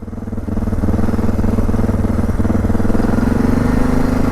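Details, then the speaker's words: 2006 Suzuki DR650 single with FMF header, slip-on exhaust, drilled airbox and carb slide: thump sits high and wanders, rising and dipping without throttle; idle too high, jumpy and surgy. "Yeah, it definitely seems jumpy. Yeah, it really goes at idle. Also seems a bit jumpy."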